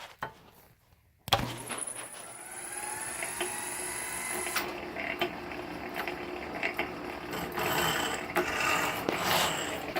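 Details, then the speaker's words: 1916 Diamond Saw Works power hacksaw driven by upgraded 1915 1/4hp Century Model RS motor, running smoothly at just over 60 strokes a minute with even blade scraping; some clicking from a worn frame pin bushing: normal running. "You can see it's running pretty smooth. Goes quite a bit faster. It's got a ton of power."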